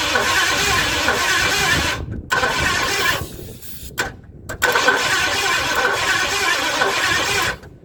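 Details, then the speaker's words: 1958 Edsel, points ignition, carburetor off, starting fluid in intake, power at coil: cranks at moderate, slightly uneven rate in bursts with no catch, no spark. "okay i lost my spark somehow"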